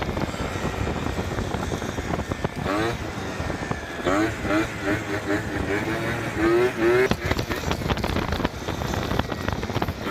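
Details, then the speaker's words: Yamaha Zuma Prebug 70cc two-stroke scooter on a test ride after a custom stunt handlebar and grip mod: light buzz rising and falling with throttle, pulling cleanly; running perfectly, normal. "All right, boys. We just test rode the Zuma. The Zuma is running absolutely perfect except for two things."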